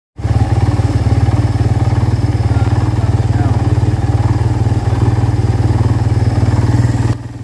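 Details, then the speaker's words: Barako 2 motorcycle, 2023 model, loud steady idle with a coarse rattly pulse of about four beats per second; engine already needs overhaul. "Yan, ito yung 4 overhaul mga boss. Yan yung tunog."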